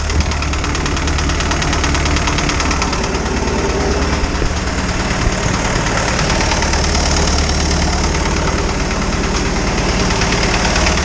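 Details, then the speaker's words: Isuzu 4BD2T diesel in a Spryte snowcat, just restarted with a new cylinder head after an exhaust-to-coolant leak repair; rough idle with light uneven tapping about three per second, no coolant bubbles yet; owner suspects valves need adjusting. "so far no bubbles yet sounds like i need to adjust the valves a little bit better"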